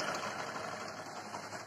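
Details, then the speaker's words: Bajaj Discover 100 single-cylinder bike at idle, engine making heavy khad-khad noise; fast metallic clatter over light idle, timing chain rattle fixed by timing chain change. "तो अब bike को बंद करते हैं आप लोगों ने साउंड सुना इसका कितना ज्यादा इंजन जो साउंड बहुत ज्यादा कर रहा है इंजन में खड़-खड़ कर बहुत ज्यादा आवाज़ ए जाए"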